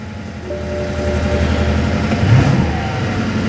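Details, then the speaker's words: BMW F01 750Li V8 just after start-up at auction: faint steady whine over a lumpy idle, likely the power steering pump; a misfire is also audible on revving. "a little bit of a whine like a power steering whine that's nothing new or nothing crazy"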